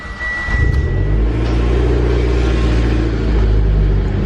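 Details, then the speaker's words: Mitsubishi Evo X, turbo petrol, first startup after a new turbo and manifold: catches quickly and settles into a smooth, healthy idle. The earlier ticking is gone; the power steering pump is slightly loud. "Ooh. She sounds good. She sounds healthy. Ooh, I'm super excited."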